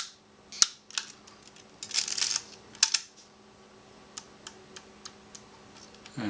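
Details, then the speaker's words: Yashica Electro 35 with an added DIY manual shutter speed selector, set to half a second: a sharp opening click and a crisp closing click about half a second later. The slow shutter speed is working properly. "this should be 250th 125th 60th thirtieth 15th see if we can hear that 8th order half a second okay again this is the shutter speed selector it's on half a second right now"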